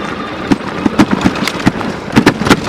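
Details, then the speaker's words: Duotts F20 electric fat bike ridden off-road over rough ground: sharp irregular clunks, about a dozen in three seconds, as the front suspension fork bottoms out; mechanical, nothing serious. "Là, on entend bien claquer la fourche. Donc c'est rien de grave, c'est juste mécanique. C'est quand elle tape le fond."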